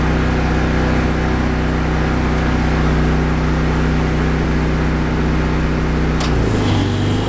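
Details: Briggs & Stratton 8 kW tri-fuel generator running on pure propane under heavy load (AC unit kicked on): steady even drone, firm hum, settling lower without stumbling; much smoother than on gasoline, which needs a carburetor jet change.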